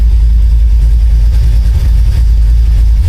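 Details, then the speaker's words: 1972 Oldsmobile Cutlass after new electric fuel pump on relay, 14 volts, only three gallons fuel: started without pumping gas, deep even rumble, no misses, knocks or ticks; normal idle. "no this time flip the switch on turn the car on idle perfect"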